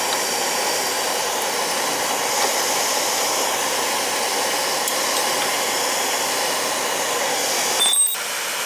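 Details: Burnham oil boiler during annual service: constant, even roar with steady hiss and no pulsing, rumbling or sputtering; burner fires cleanly and runs healthy.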